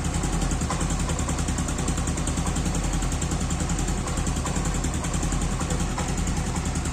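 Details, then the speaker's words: Yamaha Aerox scooter at idle as it warms: light, quick valve ticking riding over an uneven idle, quiet when cold, louder when fully hot, disappearing on throttle; valve clearance out of adjustment. "Tapi kalau nanti udah agak panas, nanti ada bunyi agak ngeletrek. Suaranya itu saru antara bagian kanan, kiri. Nah, dia udah mulai muncul suaranya nih."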